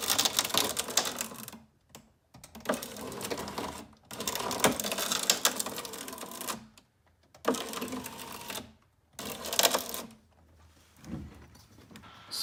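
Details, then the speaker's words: 2004 Saab 9-3 passenger power window, heard at the door: a rough crackling rasp in one-to-two-second bursts each time the window runs, after something snapped inside. The regulator cable appears to be snagged around its pulley at the motor; the regulator and motor are being replaced. "that cracking sound that is what's wrong with my window regulator something in there with the cable and pulley mechanism that runs it looks like something's probably tripped up or wrapped around where it's not supposed to be"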